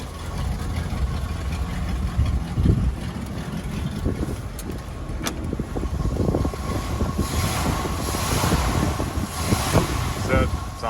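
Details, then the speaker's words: 1972 Chevrolet K10 350 V8, 4-speed, Holley carburettor, standard single exhaust: deep steady burble with even thump and no misses or ticking; normal idle. "there you hear the engine runs nice got a holley carburetor on it just standard exhaust"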